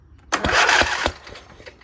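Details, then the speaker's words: Craftsman riding mower twin engine (cylinder 2 head replaced years ago), battery recharged: a few heavy labouring cranking strokes then it stops without catching; owner says too much compression and suspects the valves. "oh you hear that there's too much compression so I think something's going on with the valves"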